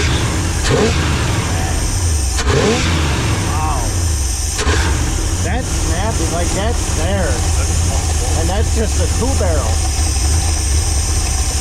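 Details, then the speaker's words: Running Chrysler 360 LA small block pulled from a junk car for a 1973 Plymouth Duster, carburetor flooding: deep uneven loping idle that surges and smooths when revved, sounding like a big cam; running rich from flooding. "it's it's following out so bad. It sounds like it's got a cam."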